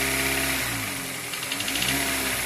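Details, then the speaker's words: Cheap 2014 Hyundai Elantra petrol engine, warmed up after oil change with thicker oil and additives, oil level correct: faint quick light knocking at idle, audible mainly around 1000 RPM. "You only really hear the knocking at certain speeds, mainly at idle."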